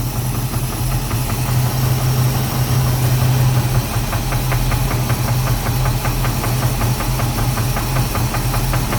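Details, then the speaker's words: 1988 Chevy Caprice, 350 V8 with 650 cfm Holley carburetor: rough low idle with a light, regular internal tapping knock present only at idle, felt through valve cover; crankshaft suspected, torque converter bolts checked fine. "it only does it it only has that knob like when it's idling and right now it's almost like you can probably hear it right now"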